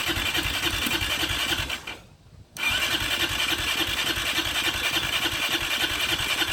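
Starter spins the engine at an even chug, roughly three compressions a second, pauses, cranks again, but it never fires.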